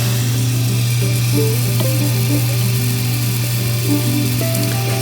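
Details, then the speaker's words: Miele dishwasher with intake/drain light fault, after reset: steady even low hum of water filling, no hammering or chatter, the correct normal fill noise. "यह सही शोर है जो हमें यहां होना चाहिए"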